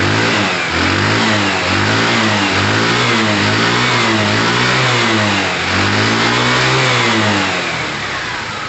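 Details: Tamoretti with replacement carb after air-fuel and idle screw adjustment: revs swell and ease back with throttle blips, then settle to steady idle without hunting; owner judges it near optimum setting.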